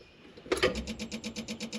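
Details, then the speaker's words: John Deere 190E excavator with the key on and the engine off: a steady rapid clicking about nine per second from the throttle stepper motor pulsing. The electronic throttle doesn't work, and a fried ECM is suspected but unconfirmed. "you hear that clicking? Well, that clicking corresponds back here to this here, which is called your stepper motor, which runs your throttle. So, when that's clicking, you can feel this motor pulsing."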